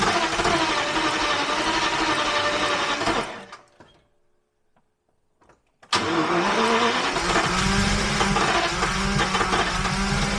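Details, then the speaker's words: Abandoned Jaguar XJRS V12 on makeshift fuel supply at full fuel pressure: rough, uneven running that dies out, catches again and stumbles along; flooding on an over-rich mixture, cause still unknown. "Doesn't seem that happy, but we'll try and fire it up with full fuel pressure. So if that regulator, if that was the issue, then it should run about the same. It's definitely getting flooded right away."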